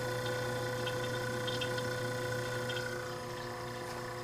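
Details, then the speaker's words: Vintage splash-lubricated Westinghouse fridge compressor at 2.4 A and 159 W, condenser warm top to bottom, running fully cold with frost crystals. The steady, even, clean hum has no knocks or rattles; the compressor is healthy despite earlier cut wiring. "2.4 amp 159 watts the condenser is warm all the way from the top to the bottom"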